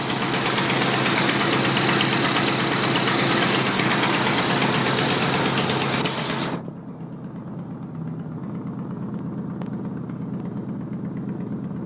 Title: Idle with exhaust leak on downpipe